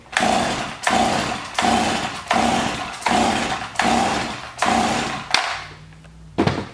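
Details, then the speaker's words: Garbage-picked chainsaw, choke on, switch on: seven hard pulls, each a short rasping crank that dies away, never catches; no start, low compression suspected, new spark plug fitted by someone before. "all right got choke on switches on uh oh not starting"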